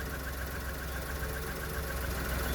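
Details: 1997 minicab small engine at steady, even low idle with no knocks, misses or squeals; owner says it runs a little rich but is reliable and has only failed to start when the battery was drained, and runs well.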